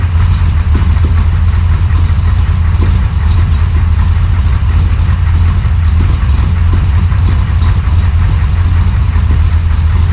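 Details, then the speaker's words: 1968 Chevy Nova SS V8 with new Flowmonster 409 stainless straight-through mufflers replacing the leaking chambered exhaust, no tailpipes yet: deep, even thumping idle, loud low rumble, steady pulses, no ticking or misses; healthy free-flowing exhaust. "There was leaks everywhere, but that's the sound I was looking for. That deep-chested thump, not too loud at idle."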